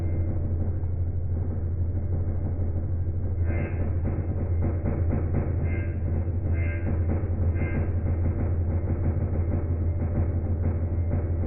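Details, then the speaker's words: Single-phase AIR induction motor with large start capacitor on a three-wire soft starter: harsh buzzy low hum over the run, absent on direct mains; the starter isn't fully open, clipping the sine wave; fix: bypass it with a contact after ramp-up. "Ну в общем как вы поняли да он не полностью открытый во время работы он немножечко подпиливает синусоиды из-за этого получается вот этот неприятный звук"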